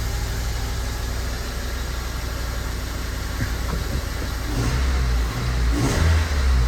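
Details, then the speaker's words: Honda Element (code P0301), down a cylinder, idling: it stumbles with an irregular lopey shake about four times a second. The rocker tightness is ruled out as the cause, and the dead-cylinder misfire is traced to a failed fuel injector. "It's down a cylinder still."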